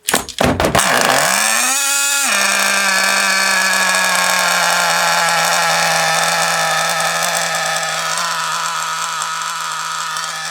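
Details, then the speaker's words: FTX Carnage nitro RC truck engine starts, revs, then runs with a harsh, raspy buzz from a large exhaust leak at the top of the manifold; one-way bearing was first suspected. "Well, it runs alright. Doesn't sound right though, does it? That's why. Ah, that's why. So we've got quite a large exhaust leak at the top of that manifold there."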